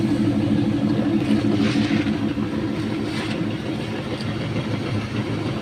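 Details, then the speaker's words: Car exhaust after welding repair of corroded muffler, hand leak test over all welds finds no leaks: steady even idle, low pulsing note, no hissing or puffing; normal exhaust idle. "Ya semua yang kita elas kita coba bocor atau tidaknya ya teman-teman Oke ternyata hasilnya alhamdulillah bagus tidak gocor semaksimal"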